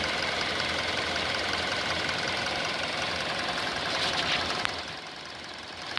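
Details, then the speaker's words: 2019 Hyundai Elantra inline four-cylinder, 7,000 miles, just after start-up: quick even ticking three or four a second over steady idle, diesel-like, easing slightly as it settles; cause not pinned down. "And you can hear it started up. You can hear that ticking. Looks like a diesel noise."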